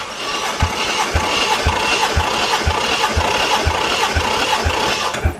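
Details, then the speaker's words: 1JZ VVTi (JZX110 single-turbo, drive-by-wire) engine slow cranking on starter during compression test; even thumps about two per second, matching strokes, 180 psi across all six cylinders, healthy compression after engine verified running. "that's what I'm talking about 180 across the board so now we've started the engine we verified it runs we have recompression checked and verified that it's even across the board"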